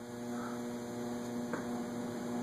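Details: Antique Robbins & Myers five-blade ceiling fan with preheat fluorescent light, just installed, running on high: steady, even motor hum with no rubbing or wobble knock. Little wobble despite one blade being well out of alignment.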